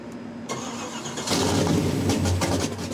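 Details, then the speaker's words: Ford 390 FE V8 on dyno, MLS head gaskets, PerTronix billet Flamethrower distributor with limited advance, Flamethrower HC coil, Quick Fuel 750 CFM carburetor, total timing 30 degrees: brief crank, quick catch, rough-edged but steady idle; normal start and idle. "total timing is set at 30 degrees it's uh this sounds like pawpaw's pickup truck right now"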